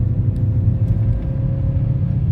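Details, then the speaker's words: Opel Astra 1.6 Ecotec on LPG after diagnosing faulty LPG injectors and adjusting to AFR 14.9 at idle: deep, steady engine drone pulling evenly up a steep climb with clean gear changes, no stumbles or surges; normal pulling under load. "Bu arabanın şu anda yokuşta da çekişi güzel bir çatışmaları da güzel Çok dik bir yokuş dayız istediğimiz gibi vites atabiliyorum şu anda Bu çekişte normal"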